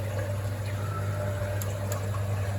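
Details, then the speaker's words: Winterhalter GS502 dishwasher filling cycle after cleaning the pressure sensor tube and air chamber: steady low hum with water rushing in evenly, no knocking or gurgling, filling normally until the level sensor stops it. "When you start the machine, tank is going to fill up with the water until level sensors tell them to stop opens. So, let's do it. You can hear water coming here."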